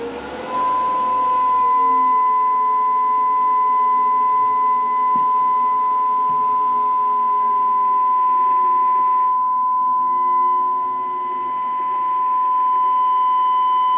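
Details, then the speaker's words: Amplifier bridged into 4 ohms, a pure steady mid-pitched tone held over ten seconds without rasp, just before clipping at 65; about 1056 W in bridge, clean full-power output, enough that the cable starts to smell hot. "ahí está también está antes del clipping 65"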